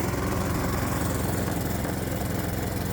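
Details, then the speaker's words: Predator-type small engine running on its original magneto ignition, sparking about 24° before top dead center: steady, even single-cylinder beat with no misses or knocks, running cleanly. "Just for fun, let's start the engine on the Magneto ignition so we can confirm we have spark when the engine's spinning faster. Now, remember, the engine's running off the original Magneto ignition and not the new ignition system."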